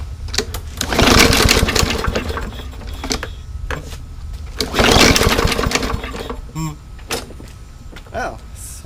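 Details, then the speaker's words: Yard Machines mower after bad gas drained and fresh fuel added, carb cleaned once: catches, surges unevenly in bursts, sputters and stalls within seconds; jet suspected undersized, re-clean then drilling jet planned. "I actually think that the jet is a little bit undersized so I'm going to clean it and probably put it back together if that doesn't fix it I'm going to drill the jet"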